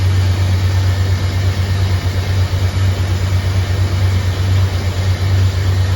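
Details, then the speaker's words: Chevrolet Silverado square-body farm truck with Holley Sniper EFI, just after catalytic converter removal, on jack stands; deep steady V8 idle burble, louder and throatier, no exhaust leaks heard. "sounds pretty good I don't hear anything like crazy exhaust leaks that's huge shuffling's a lot throatier I think that cat was really choking it up in here"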